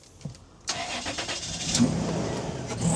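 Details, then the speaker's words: Toyota Land Cruiser, one owner, 28 years old, after new cambelt, water pump, spark plugs, fluids, filters and full service: quick crank, catches at once, settles into smooth even idle with no ticking or knocking; runs beautifully. "it now runs beautifully in fact it runs like a Swiss watch"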